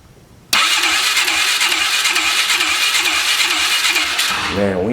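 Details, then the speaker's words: 2003 Polaris 500 H.O. ATV on a compression test with the throttle blocked open. Fast, light, even cranking with no compression loading; the gauge reads nothing, and a faulty gauge is suspected; low compression. "ain't got nothing. We ain't got jack diddly. Surely compression couldn't be that weak."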